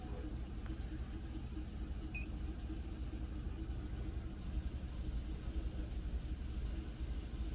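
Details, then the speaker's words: Scan tool commanding step EGR valve open at idle: at 29% the engine stumbles and lopes like missing at about 500 rpm, worsening as opening increases until it nearly stalls; rough idle from excessive EGR flow. "then 29 it kind of sounds like it's missing and it's only at like 500 rpm"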